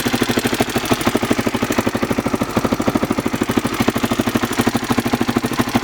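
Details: Honda XR600R single-cylinder motorcycle engine at idle: sharp, steady ticking riding on each firing pulse.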